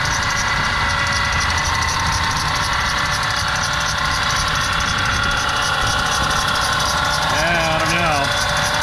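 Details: Ford E350 van with dual AC compressors, engine idling: constant high squeal/whine in accessory belt drive; AC compressor suspected.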